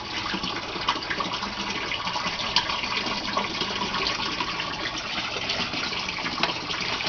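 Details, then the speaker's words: Aquaponics gravel grow bed bell siphon forming after about 30 seconds of trickle: water gushes out the 1-inch PVC pipe, steady rushing with gurgling splashes; siphon running full, draining normally. "It starts with a trickle, and then after about 30 seconds a siphon forms, and the water will come gushing out of that 1-inch PVC pipe you see there. So a few more seconds and we should start to see that thing drain really fast. And there it goes."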